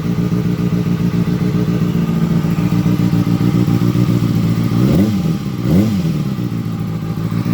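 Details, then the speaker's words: 2007–2008 Kawasaki ZX6R after the cam chain tensioner was reset and reinstalled: steady even idle with two quick clean blips, no ticking or rattle, much quieter. "Oh, that's much better. That's much more quiet. Beautiful."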